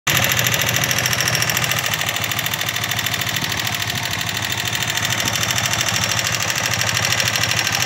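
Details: 1995 TMX155 single-cylinder motorcycle that is very noisy and smoky; the idle has a loud, rapid, sharp ticking clatter from the valve train.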